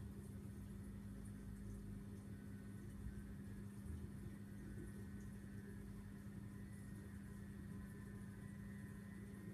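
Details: Vortech MP10 quiet-drive pump motor after about a month of use: a steady hum near 200 Hz with a coarse rattling drone, far louder than it should be. The drive motor is noisy.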